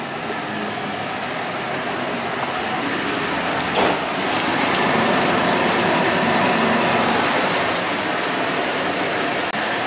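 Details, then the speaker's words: Worn front wheel bearing on a truck that hums worse turning right, one front wheel raised and spun in gear: steady rough roar building with speed; the left front is judged the bad bearing, right front quieter. "R ABS isn't happy but I definitely heard the wheel bearing sound"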